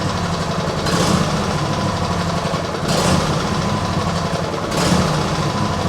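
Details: Cold small petrol mower engine with automatic choke at idle: note swells and sags about every two seconds, surging and hunting; owner suspects water in fuel after washing or choke; carb never cleaned, cause unconfirmed.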